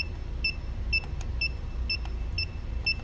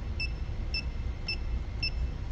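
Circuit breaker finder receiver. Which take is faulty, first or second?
second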